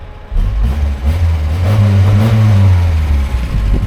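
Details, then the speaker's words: Talbot Express motorhome with a valve the owner blames for heating trouble; low engine drone swells quickly on throttle blips and drops back, no rev gauge; throttle now much more responsive, normal. "Tell you what, it's really, it's a lot more responsive now on the throttle."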